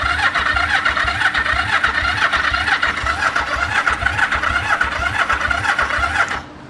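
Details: 1974 Yamaha TX500 after 20+ years sitting: a fast, steady starter churn for six seconds with uneven firing chuffs underneath but no catch. Spark present; it ran soon after, with the carbs and valves needing work.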